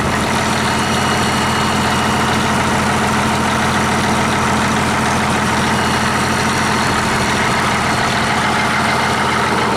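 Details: 1959 Caterpillar D337F diesel genset, stored in a barn 10 to 12 years, just started and resting at idle (needs the shutdown lever to stop). Smooth, even idle with a steady low rumble, no misses or knocks: normal idle.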